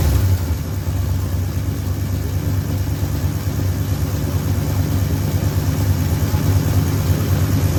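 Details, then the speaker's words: 1973 Ford F100 V8 just after a tune-up: new plugs, coil, points, condenser, rotor, cap, fuel filter, ground cable and rewiring. It gives a deep, even rumble with no misses, knocks or ticks: normal running. "That that sounds pretty good. >> Yeah. >> We just finished up. We got it running good."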